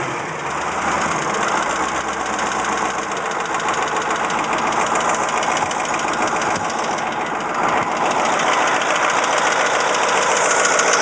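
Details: Caterpillar 3208T diesel in a 613C at idle, fresh injection pump and turbo, earlier run hours with pump over-advanced: hard regular rattle of three to four knocks a second; owner suspects fuel or injector knock or broken piston/rings.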